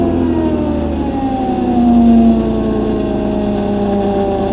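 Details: 1998 Dodge Avenger engine running with steady whining tones that climb slowly with revs; the owner is trying to find the problem, and the cause is unknown.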